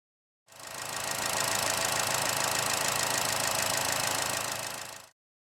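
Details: GM 1.4 L turbo petrol engine with P0324 knock code, hesitation and power loss: sharp, even tick about four times a second, traced to completely loose fasteners.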